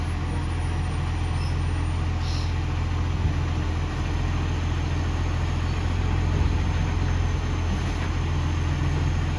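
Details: Ex-Canberra vehicle 728 idling with a heavy, loud low rumble and an uneven puffing chuff on top: a loud exhaust leak blowing.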